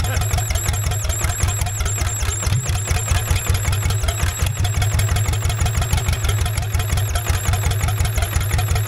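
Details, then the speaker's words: 1960s Caterpillar pony engine, a free engine being revived: thumps along at a steady idle with a faint high squeak on each stroke from the carburetor connection; intake air leak at the carburetor gasket. "well well that's interesting I don't know if you guys can hear it there's a squeaky sound coming from right up here where my fingers are at at the carburetor connection"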